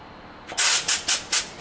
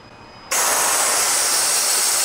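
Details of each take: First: Pivotal Edge 104411 vacuum valve with line opened at the control box: sharp hissing puffs about four times a second, repeating steadily; valve keeps cycling trying to hold vacuum on the seal, pointing to a leaking seal, fitting or air line. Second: Pivotal Edge 104411 vacuum valve drawing the cover seal down through about a foot of air line: a steady hiss for about three and a half seconds that stops cleanly. This is a normal vacuum cycle; a 50-ft line would take longer.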